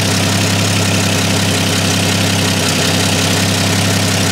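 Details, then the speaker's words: 1954 Chevy 3100 half-ton with original 235 cu in straight six, started cold: steady, even idle with a quiet, smooth exhaust hum and no valve noise or knock; compression 110-120 on all cylinders, good oil pressure hot or cold; healthy engine. "so as you can hear the exhaust but that just turns Idols lovely very very nice quiet this could be that engine no valve noise"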